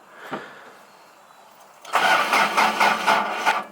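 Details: Carbureted Toyota Corolla wagon, sitting in the yard with a weak battery holding some charge, cranked after three pumps of the gas: uneven starter cranking at about two turns a second with no catch or firing; cranks but won't start.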